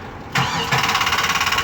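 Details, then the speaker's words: 2007 Chevy Express with no-start complaint, PCM just replaced and programmed, cold shop: touching the starter relay circuit to ground once leaves the starter cranking in steady pulses (about eight per second) without dropping out; starter circuit stuck energised, cause unconfirmed. "All I did was touch it once. And this thing, I don't want to see me. It's just cranking away. It stays cranking. The second you touch it with ground, it continues on cranking."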